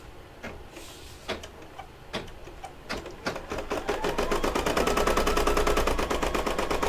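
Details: Brother DZ 820E embroidery machine stitching an appliqué mug rug after the bobbin was rewound following trouble: slow separate clacks build to a fast even chatter, about two hundred stitches a minute, smooth and regular; stitching properly.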